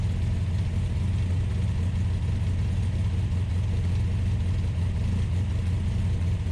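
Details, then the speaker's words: Ultima GTR supercar with American V8 warming up after a jumper-pack start: steady deep drone held at a raised, even speed without settling down, idling high; fans pulling hot air, temperature gauge reading only about 60 degrees. "but it's definitely hot because the fans which work on a switch i found uh were pulling hot air so it was idling high"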